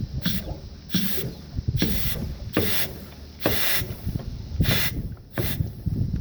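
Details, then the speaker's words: Bobcat 853 with fuel starvation: repeated hissing blows about once a second with gurgling between them as air is blown through the blocked fuel line into the tank; the blockage is cleared and fuel now bleeds through. "Alright, so after blowing and blowing and blowing, I think I finally got it to go. So, listen, ready? I can hear it gurgling in the tank now."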